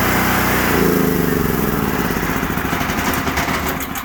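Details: After carburetor cleaning and fuel system flush, a nearly new Generac RS8000E generator (2.9 hours) that had been surging holds a steady, even beat with no hunting. Normal running after the repair.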